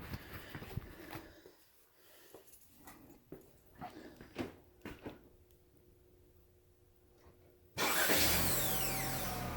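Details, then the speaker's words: GM 1.5L starter just replaced with an aftermarket Duralast unit (2016-2018 Malibu/Cruze/Equinox), battery reconnected: loud crank with a harsh high whine riding over it as the engine catches, like water spraying, louder outside; noisy new starter suspected. "no it sounds awful if you want that sound to be gone i guess you'd buy oem or maybe this dirt last one isn't no good"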